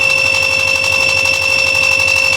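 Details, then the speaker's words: Fridge that lights up but won't cool, compressor powered directly with relay and overload bypassed: steady hum with a constant high whine, no clicking or stalling; compressor starts and runs normally. "Ada suara berdengung ya. Ya. Setelah diberikan setrum, kompresornya langsung hidup ya."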